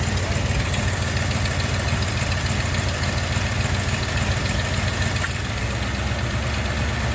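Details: 1990 Jeep Grand Wagoneer, newly rebuilt AMC 360 V8 with Holley EFI, after restoration, idling just after the AC was turned off: smooth, even V8 idle with a steady deep beat, no ticks or knocks; normal idle.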